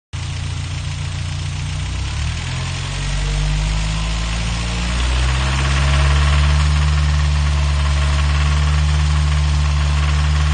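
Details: Toyota 22RE petrol engine at idle: steady low rumble with a regular clacking/knocking about four times a second; owner doesn't think it's loud valves.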